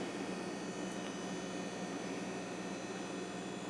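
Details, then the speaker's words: Compaq Deskpro 590 PC with 32 MB memory at power-on: the hard drive spins up with a steady high whine over a soft whir, no clicks or grinding. Typical for old drives; normal hard drive running noise. "That drive sounds unhealthy, but that's about what they sounded like. I forgot about that. A lot of the older drives just sounded bad."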